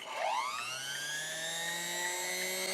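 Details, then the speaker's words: 1929 Singer 99 sewing machine with rewired Singer BU7e motor and new panel-mount power and foot controller connectors: motor spins up with rising hum settling to a clean steady tone, no grinding or rattle; works properly after rewire. "damn not only does it work it sounds good"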